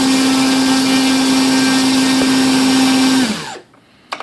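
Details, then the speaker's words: Volantex/Lanyu ASW-28 V2 sailplane with a replacement ESC, static bench full-throttle test. Clean steady high whine for about three seconds, then a smooth wind-down; about 15.48 A, roughly 165 W. Healthy. "like about 15 amps bottle fifteen point four eight amps or about 165 watts"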